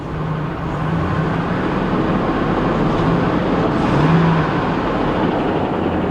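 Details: 2012 Chevy Cruze Eco idling rough with lumpy, irregular pulses from a heavy misfire; a heavy tapping or deep knock was also heard from one side under the hood.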